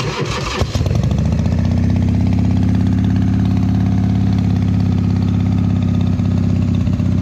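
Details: 2001 Indian Scout V-twin with 7k miles, cold start at about 50°F: it cranks, catches and settles into a lumpy, uneven idle with faint irregular pops from an air leak at the front exhaust pipe.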